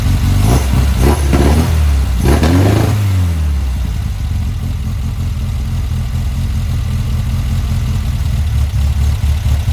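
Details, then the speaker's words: Car fitted with a Weber 44 IDF carburettor, original parts refitted: crisp blips rise and drop cleanly back to a steady, even idle without stumbling; running well. "they sounded really good I love how it's sounding look at that nice so that's where we're gonna leave it"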